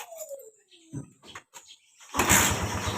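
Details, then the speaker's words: Kawasaki Barako 175 single-cylinder that was hard to start in the morning after sitting; turning it on and opening it for about 5 seconds first, which may let fuel reach the carburetor. It now catches straight away into an even, quick putter; normal start. "so Ayan umandar agad siya sa lang So yun lang pala ang problema"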